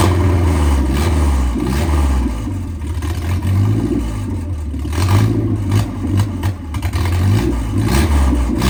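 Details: 1987 MerCruiser 3.0 four-cylinder inboard boat engine revived after pickup, catching and revving, low throb rising and falling with throttle, a bit rough but keeps firing; normal running.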